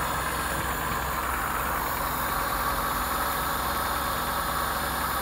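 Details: All New Corolla (AE) after IACV replacement: even, steady idle with a constant drone and no knocks or surges; running smoothly.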